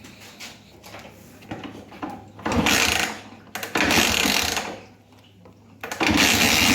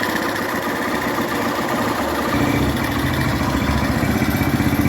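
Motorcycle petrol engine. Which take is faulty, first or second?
first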